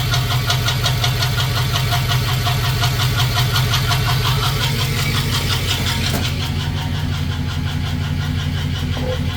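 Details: Customer-built 5.3 LS after bouncing off the rev limiter, idling: steady knock in time with the engine from failed cheap eBay lifters and trays plus a spun bearing.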